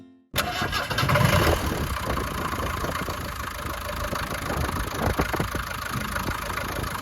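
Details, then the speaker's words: 1977 Land Rover Series 3 88-inch diesel with new diesel filter: quick catch after cranking, then steady even diesel clatter at idle with no misses; runs as an old diesel Land Rover should. "But, yeah, that's the engine. Should we fire it up and listen to it clatter?"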